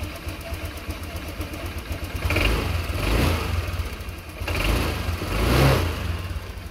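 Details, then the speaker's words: Honda Click 125 FI scooter that sputtered and stalled, after spark plug replacement and slight air screw adjustment: steady idle with two clean, smooth rev blips rising and settling evenly without sputtering or stalling; sounds healthy. "Ngayon bubombahan natin guys. Ayos ang tunog."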